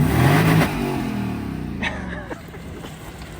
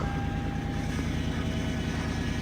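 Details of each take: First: 1998 Lexus LS400 revved to redline after new MAF sensor and new battery: clean sharp rev to the top then smooth even fall back, no misses or stumbles; normal revving. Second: 1998 second-gen Lexus LS400, 250,000 on the clock, at start-up after a battery swap: steady engine drone with a thin constant whine from the power steering pump, low on fluid because the broken vacuum solenoid leaks it.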